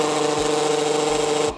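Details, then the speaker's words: TCL robot vacuum running on carpet: loud steady motor whine with harsh rasp, brushes not turning though the roller brush itself looked fine; noise traced to a faulty roller brush motor, replaced. "cihazı incelediğimizde sesin rula fırça motorundan kaynaklandığını tespit edip"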